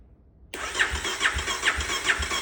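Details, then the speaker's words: 2018 Kawasaki KLX 250, sat in a garage about 5 years, charged battery, old fuel partly drained, in neutral: starter cranks steadily with even, strong compression pulses about 2.5 per second, no skips; compression sounds good, not yet firing. "Oo. Okay. Sounds like we got good compression. Got good compression."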